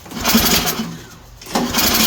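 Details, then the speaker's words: Toro 724 OE 7 hp snowblower, choke on: short cranking bursts with light, uneven resistance and no firing; low compression from very loose valve clearance, both valves. "we got a little compression now I'll turn this up to [Music] fast it almost fired"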